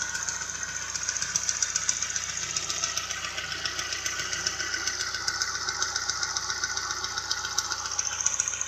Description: Don't know what noise is making the ticking...